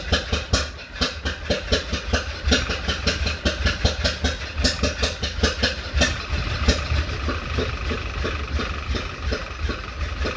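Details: 1931 Ford Model A after 10+ years stored, weak battery, maybe flooded, timing fully advanced, in neutral; lumpy idle with irregular pops two or three a second back through carburetor, then dies; owner suspects sticking intake valve, unconfirmed.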